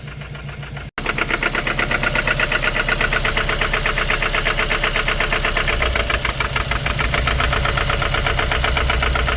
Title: mx5 nc 1.8 knocking sound